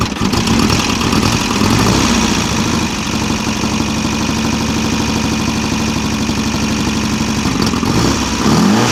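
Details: VW Type-3 Fastback air-cooled flat-four with carburetors, reinstalled after its cylinder heads were tightened to cure a cold-engine rattle: it fires up and runs a lumpy but steady idle with a couple of blips and no head rattle; normal running.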